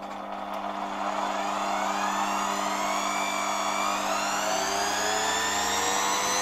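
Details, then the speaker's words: 1987 Zelmer 200.8 vacuum cleaner, replacement type 300 motor run on a voltage regulator (the original sparked excessively): a steady high whine rising as it spins up, then smooth. No sparking, and rpm seems slightly lower than the original's. Normal running. "No i teraz muszę powiedzieć że działa to dużo dużo lepiej kompletnie nie widać tutaj na tym silniku żadnego iskrzenia i też mam wrażenie że jednak te obroty są troszeczkę niższe"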